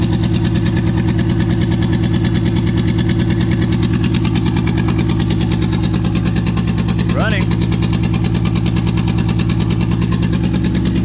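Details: 2JZ swapped into a 4Runner, twin-turbo ECU, first runs: engine at about 1900 rpm with an uneven, stumbling pulse under the drone; misfire, later traced to injector adapter connectors not making full contact.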